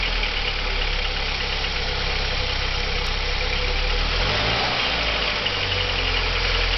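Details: 1987 Audi 80 B3 with 1.8 JN engine at idle: a fast, somewhat irregular tapping knock rides over the idle; the owner is asking what causes it.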